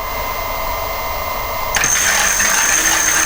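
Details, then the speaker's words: Homemade ebike driven by a car alternator used as motor, revived after sitting in a shed, run with about 13 V from a controller that has a cooling fan: steady high electric whine over soft fan rush, even pitch, no knocking; motor works normally. "but before we do that we'll just make sure it's still working"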